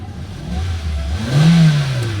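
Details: Hyundai Elantra after computer box (ECU) repair for a no-crank no-start: engine picks up cleanly from idle, swells through a smooth rev and settles evenly with no knocks or misses.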